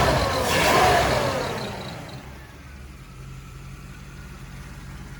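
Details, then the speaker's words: Spreadbore Holley 4175 carburetor after new metering block and housing plus tuning, idle vacuum 13–14 inches: one sharp rev climbs quickly and drops straight back to steady even idle; crisp, normal throttle response. "It's evened out a little better, not as shaky. Back and forth between 13 and 14 inches for vacuum."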